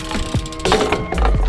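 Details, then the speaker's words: BMX rear freehub after being regreased and its pawl springs tensioned, ridden in a park over music and wind; fast, loud, even ticking, pawls engaging cleanly and a healthy hub. "Короче ось такий зараз звучок став суки думаю добре вийшло"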